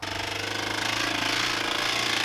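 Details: Scion tC bought at auction, already known to have rod knock. The petrol engine runs with a fast, heavy, regular hammering knock; the car was later driven until it caught fire.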